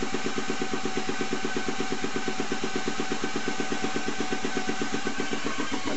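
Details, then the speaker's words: 1949 split-nose differential rebuild, new head bearing race pressed in with a hydraulic press and special tool: steady pulsing pump beat about three per second, note tightening as the race bottoms out on the shim. "And now we're going to put the head bearing in. Here we go. You'll hear the note change when it hits the shim."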